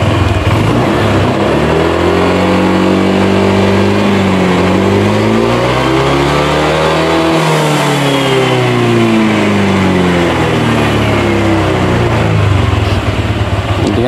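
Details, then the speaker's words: Honda Vario 125 whose ISS stopped working after routine service, screw reset to 2.5 turns: smooth, even engine note climbs through a gentle rev and eases back without stumbling; now running normally. "Coba kita nyalakan. Jadi harus digas langsam dulu ya. Nah, ini udah normal."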